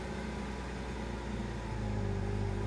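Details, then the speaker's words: 1992 Subaru SVX after ECU reset (battery disconnected overnight), following O2 sensor fix; cold start at 1,000 rpm, no throttle: idle sags low and uneven, hesitates, then slowly climbs back as the computer adjusts, possibly entering closed loop. "Kind of hesitates. And then it slowly climbs back up. See, I'm not touching the gas pedal."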